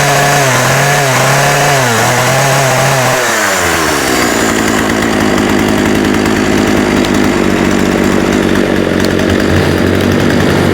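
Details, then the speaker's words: Husqvarna 36 chainsaw with 14in bar, running without choke after carb clean-out and fuel line replacement: uneven surging and sagging revs settling into a rough, faltering run, cutting in and out. Coil or electrical fault suspected; off switch also not working. "See, it was like cut cutting in and out. So, that's one of a couple of things. It's the coil or some sort of electrical type problem."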